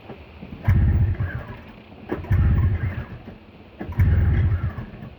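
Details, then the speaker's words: Snowmobile, second start attempt after sitting overnight in very cold weather; plug caps seated, some corrosion in the carb: three short bursts of low rumble, each dying within a second. Fires but won't stay running, cause unknown. "Now I'm actually confused with why it won't start. You know, now this is starting to become an issue."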